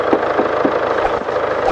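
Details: 2016 Land Rover Discovery Sport 2.0 Ingenium diesel, about 101,400 km, after repair of a ticking noise with warning light linked to low oil: steady idle with soft, even clatter, metallic tapping gone; oil consumption still suspected.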